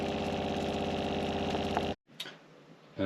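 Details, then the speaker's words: Caravan water pump after quietening work, final test with seating back: steady even buzzing hum for two seconds, then clean cut-off; down from about 57 dB to around 40–42 dB, much quieter, normal running. "and final test with all the seating back so that does sound much quieter from where we were so we're at 50 so now we're around 40 42 give or take"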